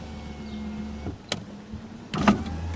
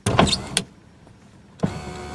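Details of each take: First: 1987 Toyota Camry LE power window, held down since auto function no longer works: low steady motor hum for about three seconds with a slightly rough edge as the glass travels; the window motor is a little noisy. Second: 1987 Toyota Camry LE (very early 1987, built late 1986), 4-cylinder, engine not running: power window switch clunks, then steady motor hum with slight whine as the glass travels; that window is a little noisy but works normally.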